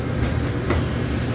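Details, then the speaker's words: 1954 Mayflower oil furnace burner after motor replacement and air damper adjustment: smooth, even low roar with no pulsing, rattles or puffing, very quiet, constant flame; normal running. "so it's generating a nice constant flame this thing is so quiet now it sounds better than we can almost not you can't even hear it over here"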